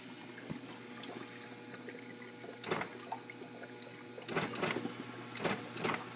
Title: Kitchenaid ice maker making clicking noises